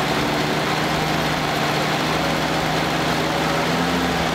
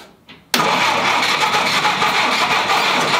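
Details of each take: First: 1946 Willys CJ2A Jeep four-cylinder, first run after five years in storage, choke half out, after an unexplained squeal (owner wonders if belt): steady even low idle, constant pitch, no knocks or misses; normal idle. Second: 1946 Willys CJ2A Jeep after five years in storage, first start attempts with the choke adjusted: the starter spins the engine with a steady whirring crank that never catches, turning over without firing.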